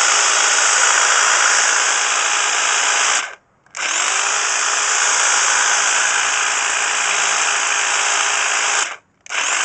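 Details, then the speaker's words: Class 2 double-insulated electric hedge trimmer after repairing its cut flex with a flex connector, tested on a table: a steady high buzzing whir that cuts out twice and restarts cleanly at full, even speed; it is running normally. "And here's the sound of the hedge trimmer. Sounds good, doesn't it?"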